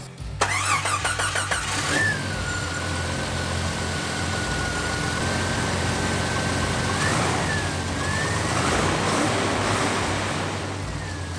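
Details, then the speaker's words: Jeep 4.0 with a 62 mm bored throttle body: cranks briefly, catches and drops to a low, steady idle without hunting; no obvious vacuum leak. "so the idle's nice and low so that doesn't sound like there's any leaks on it i'm gonna let this warm up take it for a drive see how it does"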